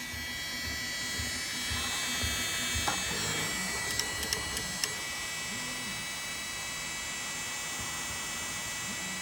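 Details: Bambu A1 mini 3D printer not printing, making a constant high electric buzz with scattered sharp clicks and short tonal chirps; abnormal buzzing noise, cause and fix unknown.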